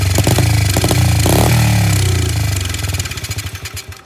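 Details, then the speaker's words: SSR 70 pit bike, unknown when last run, with stale gas and a dirty-looking carb: it catches on starting fluid, revs rough briefly, then stumbles and dies. This shows compression, spark and timing are good, and the carb/fuel is suspected. "If this thing fires on starting fluid, we know it has compression, we know it has spark, we know it's timed right, we know everything's good."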